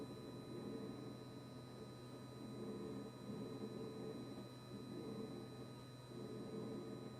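Steady low hum with a fixed buzzing tone that never cycles off over several seconds; compressor buzzing constantly, cause unclear.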